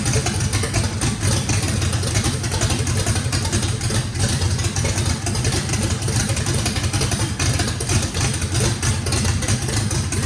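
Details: Fresh drag-race engine with a radical camshaft, first fire-up, deep choppy loping idle rolling unevenly but firing cleanly. Big overlap and lobe separation needed lots of throttle, blade about six percent open; normal lopey idle.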